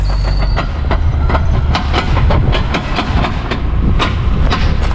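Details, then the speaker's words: Porsche 944 just started after work: heavy rumble broken by sharp irregular pops at no steady beat; runs rough and misfiring. "I don't love that it's misfiring too it's a little rough but it runs"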